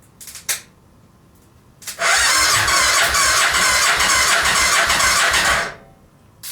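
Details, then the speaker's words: Homemade buggy with Suzuki VX800 motorcycle engine, cylinder previously flooded with fuel, trying to fire on residual fuel: about four seconds of steady rhythmic cranking without catching; owner suspects carburetors need cleaning. "I'm gonna turn it over now and see if it'll fire up with the residual fuel that was in there."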